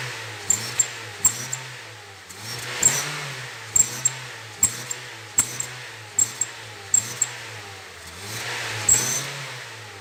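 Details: Honda New Civic whistles, a hissing rush that swells with each rev. It still whistled with the aftermarket carbon sport exhaust tip removed, so the original muffler with its noise flap is the probable cause. The flap is to be eliminated and the problem was resolved.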